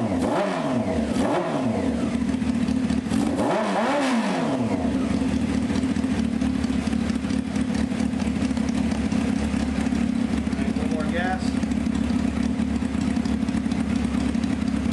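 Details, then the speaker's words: 1995 Honda CBR F3 just revived with new plugs and oil and bottle-fed carbs: two sharp throttle blips rise and fall cleanly, then settle to a steady, solid idle. It sounds healthy, though carburetor leaks are found afterward. "Generally, I would shut this one down, but you know what? [ __ ] it, man. I'd shut it down by now and go over. But it sounds really solid."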